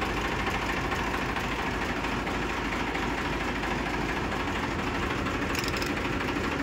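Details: Massey Ferguson 5245 DI tractor, 54 hp class, first owner: steady, even diesel chug at idle with low rumble, no knocking or rattle; engine runs healthy.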